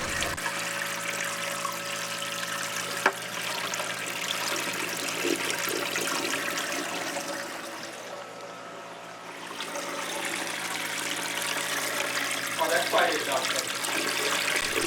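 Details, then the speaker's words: Reef tank internal overflow standpipe with muffling cap fitted, strong water pump running: steady soft rushing trickle without gurgling surges; drain noise clearly reduced. "sounds like there was a definite decrease in the drain noise."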